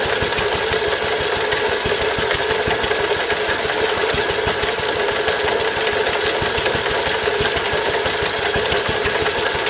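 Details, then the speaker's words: Stuart Turner water pump (run with Wolseley WD2) after big end bearing replaced: sharp, rapid tapping over the exhaust beat, a leftover knock much quieter than before; source unknown, owner wonders if a valve, unconfirmed. "substantially reduced the amount of noise it was making, so the big end had obviously gone, but I can't work out what the other noise is. I wonder if it could be one of the valves making a noise."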